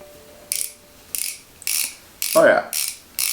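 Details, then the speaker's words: BMX rear hub after service, cleaned and reassembled with anti-seize on the threads and lock nuts tightened: six short spins, each a crisp, even burst of fast ratchet clicks fading smoothly; pawls engage cleanly, hub sounds healthy. "sounds good. Serviced, cleaned, and ready to roll."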